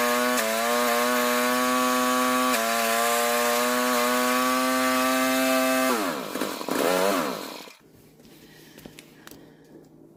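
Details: Rototiller small engine after pull-start repair, tine engagement being diagnosed: engine holds a steady buzzing speed with one brief dip, then winds down and shuts off; runs normally.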